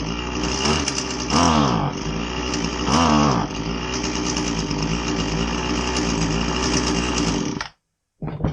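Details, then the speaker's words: Husqvarna 525LS two-stroke string trimmer with a boggy complaint: the buzz sags and stumbles when throttled up, twice failing to rise cleanly, then cuts out, indicating a lean carburetor that needs richer low and high speed screws. "Today we're going to take a look at a Husqvarna 525 LS string trimmer. Customer complaint is that it's kind of boggy."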